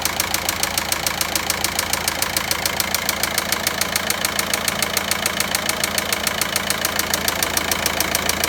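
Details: Volkswagen Passat 1.9 diesel at idle with a sharp, even ticking knock about three and a half per second clearly above it; engine knocking, source still needs tracing.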